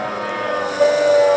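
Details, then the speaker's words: VVVF PWM induction motor drive slowing down out of field weakening: a steady whine suddenly drops to one clear fixed tone as the pulses come back in, a definite "gear" change and much noisier, like a Cambridge–London train; inverter PWM switching tone change. "pulses coming back in. A definite gear change. Much more noisy now. Those pulses have come back."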